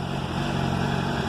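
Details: 2007 Honda CBR 600RR at 17,400 km, warm after an oil change: smooth, steady idle with an even low drone and no top-end rattle. The earlier noise was diagnosed as the cam chain tensor, and the owner expects it may return.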